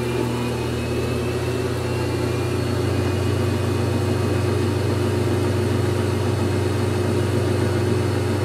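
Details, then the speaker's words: GE Infusor GTWN5050M0WS H.E. washer running empty, spin picking up speed: steady low motor hum with a whine on top, like a stepper motor at fairly high speed, building evenly; a normal spin-up. "I hear like a kind of hum but this also that sort of wine going on in the background which this is the one thing I'll credit the machine with almost sounds like a stepper motor going in a high speed or a somewhat high speed"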